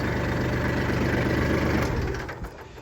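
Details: Kubota tractor with hydrostatic transmission after adjusting the HST safety switch for a no-start: steady, even diesel idle with a smooth low beat, no knocks or misses, then settles quieter; normal idle.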